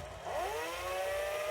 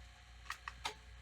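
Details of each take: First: Sony SL-2710 Betamax VCR during rewind: the motor whine climbs quickly to an even pitch, then a few crisp clunks at the stop. A healthy rewind, though the machine is heavily used and may need lubrication. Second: Sony SL-2710 Betamax VCR moving tape: light uneven clicks over a low mechanical hum; worn pinch roller suspected, tape creasing seen.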